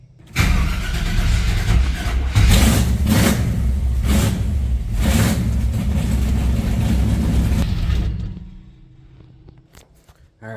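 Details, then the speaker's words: Chevy K10 truck with misfire, after replacing the distributor, carb pumped a couple times: catches then surges and sags unevenly before dying; too much ignition timing, timing to be dialed back. "Oh, sounds like it had too much timing in it there. All right. Well, let me dial back the timing on there."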